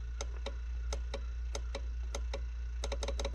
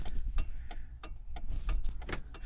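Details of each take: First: 1998 Jeep Cherokee XJ: sharp horn relay clicks, some in quick bursts, with each horn press but no horn tone; wiring and power are good up to the relay, so the horns or the wiring after it are suspected. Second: 1998 Jeep Cherokee XJ during electrical fault tracing; hazards supposedly on the same circuit as the defogger: sharp, evenly spaced clicks about three a second; hazard flasher relay clicking normally.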